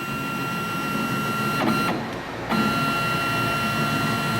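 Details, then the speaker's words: Grizzly G0602 lathe CNC conversion, X-axis stepper tuned in Mach 3 Turn at acceleration 45 for threading retracts: steady high singing tone dipping briefly as the axis reverses, then resuming evenly, no stutter, binding or skipped steps; smooth motion. "this is for speed and you can see it sounds good it's smooth it accelerates well"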